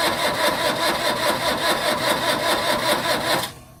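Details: Old truck, sitting a long time, starting attempted with WD40 and lighter fluid: starter churns in steady pulses about five a second with no firing, then cuts out; cranks but won't start.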